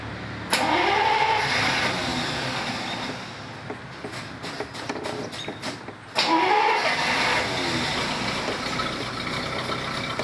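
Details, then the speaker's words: 1937 Buick, carburetted, after October-to-May storage with fuel drained from the carburettor: turns over, catches briefly, stumbles, then needs a second crank before running roughly while the carb is pumped and primed. "another thing that we try to do especially on a car is set from months and months and the gasoline will drain out of the carburetor um and you'll have to pump it some crank it over a little bit and Prim the carburetor"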